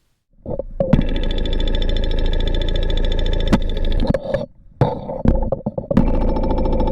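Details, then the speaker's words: Porsche 944 four-cylinder running, heard up close with a stethoscope: fast, even fuel injector ticking over steady engine hum, no significant volume variance across injectors, cleaned and serviced about 18 months earlier; normal injector sound. "when listening to each of the fuel injectors they all sounded pretty good with no significant variances in volume across the set"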